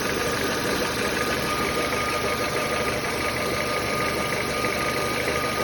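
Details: Nissan Almera G15 engine knock heard only once the engine has warmed up a little, absent when fully cold: light, fairly quick tapping at about three beats a second over a steady idle; knock of unknown origin.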